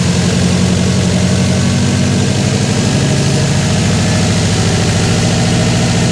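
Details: Freshly rebuilt Subaru WRX 2.5 turbo boxer just after first start: even, throaty idle with slightly uneven boxer burble but no real miss; smooth, steady, healthy.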